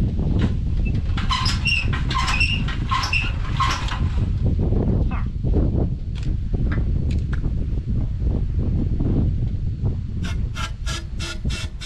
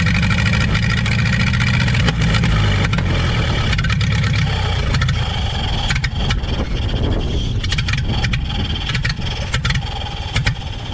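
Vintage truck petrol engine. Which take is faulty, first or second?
first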